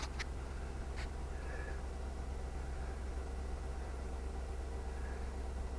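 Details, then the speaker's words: 2003 Suburban 5.3L Vortec V8, 200,000 miles, after a spark plug change (.060 gap) and intake manifold gasket repair for vacuum leaks (P0171/P0174): smooth, even low idle rumble, no misses or stumbles, crows cawing in background; running good. "like it's running don't look it's running good"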